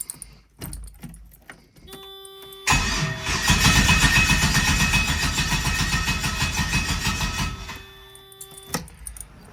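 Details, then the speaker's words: LS-swapped Mazda RX-7 with a change made to let the injectors fire: starter spins the engine evenly about five seconds, never catches. Timing, spark and compression are good and fuel reaches the rail, but no fuel from the injectors. "That didn't do anything. All right. Well, that's it for tonight."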